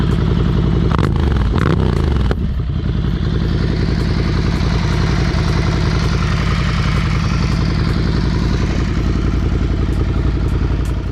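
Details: Rebuilt wrecked motorcycle, build just completed, at start-up: engine catches after a brief clatter and settles into a steady, even low beat with no knocks or misses; runs healthy.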